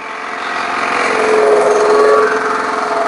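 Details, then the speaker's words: Briggs & Stratton lawn mower engine with oil level a little high: loud, uneven rough running with loose irregular thumping and banging, slight hunting and a little smoke; water possibly left in carburetor suspected, not confirmed. "I don't really like the way it's running there's a little bit of smoke but I know that uh the oil level's a little high sounds like something's banging a little"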